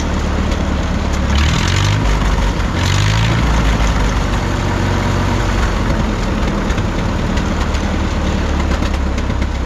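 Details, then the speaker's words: 1951 Farmall M tractor after replacing poor Champion D21 plugs, coolant found in oil: mostly steady running with brief revs and faint occasional misfire pop; much improved, number three plug was black. "we are getting still an occasional just little bit of a a pop here and there but I think I'm getting overly critical now"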